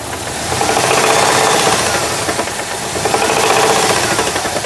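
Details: 2003 Jeep Liberty 3.7 at rough idle: loose uneven knock roughly four times a second over the engine drone, suspected rod knock, not confirmed.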